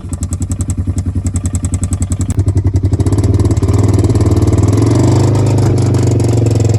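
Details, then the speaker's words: 2014 Polaris RZR 900S running after exhaust repair, on a ride: heavy rhythmic knocking of three or four a second over a lumpy engine, continuing as revs rise, localized to one spot; suspected rod knock. "okay this thing is running good now but it is making a horrendous sound it sounds like it's coming from like right here somewhere"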